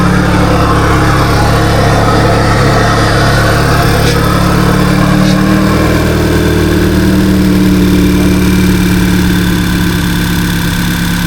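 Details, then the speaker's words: Audi A3 8P, undrivable 11 months with misfires, after retiming and flashing a base ECU map: started first time, not yet up to temperature, even smooth idle with a low hum and no knocks, misses or ticks. "The car actually started first time and I just couldn't believe it to be honest. I was astounded. It ran It It runs perfectly."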